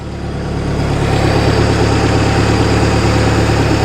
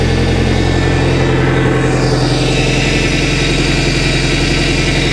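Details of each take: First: Boat inboard engine during winterizing, warm at about 160–170°F: even steady low rumble at a slightly fast idle about 1,000 rpm, no misses, knocks or surging; running healthy after rebuild. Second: Boat inboard engine warming up during winterization (thermostat opening past 160), steering worked back and forth; faint power steering pump whine shifting in pitch over steady idle, on a boat being checked for a power steering fluid leak.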